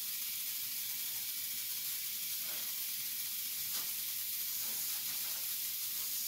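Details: Ion lifter 2.4 high-voltage supply: continuous high frying hiss with faint crackles, corona discharge at the eighth stage of the multiplier while running the six-stage output; dielectric grease applied to quiet it.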